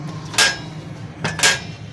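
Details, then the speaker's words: Motorcycle main stand striking the bare silencer with three sharp metallic clanks where its rubber buffer is missing; noise appears over jumps and rocky ground; refitting the rubber stops it. "ये देखें ये सिलेंसर के साथ लग रहा है। सिलेंसर में यहाँ पर इसकी रबड़ होती है, यहाँ पर।"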